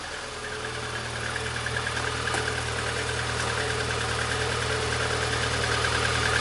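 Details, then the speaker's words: 1999 VAZ 21099, about 200,000 km, brought in for a whistling alternator, running at idle after the alternator was refitted and tightened. A steady even idle with a low hum and faint hiss, and no whistle. Likely cause was poor alternator ground contact. "но вроде свистеть не свистит но и дитя посмотрим на истры из картона нету то сейчас проверим"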